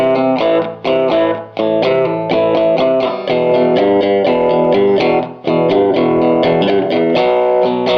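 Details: 1949 Gibson BR-6 tube amp, final tone demo after servicing, cleaning and repairs, played with a Fender Strat single coil: clean, well-sustained notes with crisp attack and no hum, crackle or dropouts. The amp sounds healthy.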